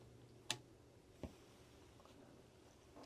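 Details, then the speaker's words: Cheap amplifier board powered down with the speaker connected and the input open: one very light pop at switch-off, then a softer click about a second later as the capacitors discharge. A quiet board, with little hiss. "a really light pop sound, a little click sound after a second or so when the capacitors discharge."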